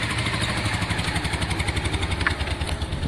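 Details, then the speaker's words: Motorcycle after much repair work: even, quick exhaust pulsing at steady idle, no misfires or knocking; runs smoothly. "you can hear how smooth it is malcolm yeah i did a lot of work on that"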